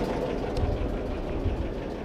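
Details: Old diesel in homemade boat, started via decompressor and glow plug: steady low, even thumping idle, no misses or knocks; oil pressure rising, charging 12 V positive. Normal diesel idle.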